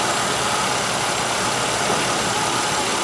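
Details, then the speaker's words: 1996 Buick Century 3100 engine idling after cylinder 5's stuck-closed Multec 2 injector was unstuck: smooth, even idle with steady hiss, no skips; cylinder 5 misfire gone; replace injector or try BG44K. "that my misfire is gone on my number five cylinder and you see the RPM is moving so we are running engine's idling misfire is gone on the number five stuck closed injector"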